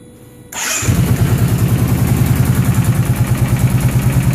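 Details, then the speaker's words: Motorcycle starting and settling into a lumpy idle with a light, regular ticking over the exhaust beat; a pop or snap is also heard when the throttle is released, cause unknown. "all right so all right so when I turn this on it sounds like something's ticking and I don't know what it is"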